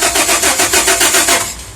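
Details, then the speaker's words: 2001 Dodge Ram V6 Magnum that ran out of gas and now won't start: the starter churns quickly and evenly for about 1.5 seconds but the engine never catches; spark is present, fuel pressure is weak, and the tach moves while cranking; crank, no start. "I have some fuel pressure but it was running it ran out of gas and now it won't start"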